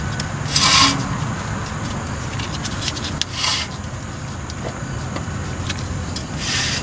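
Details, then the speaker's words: 1996 Chevrolet S10 Blazer 4WD, front ABS sensor/hub replacement: spinning front wheel by hand gives dry scraping rub with rotation; brake rotor rubbing on dust shield, fixed by bending shield. "to ensure that this thing is not rubbing which it is you can hear it"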